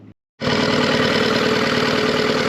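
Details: New 2022 Yamaha T9.9hp four-stroke outboard kicker restarted after its first oil and gear oil change: catches and settles at once into an even, steady idle with no knocks or misses; running normally.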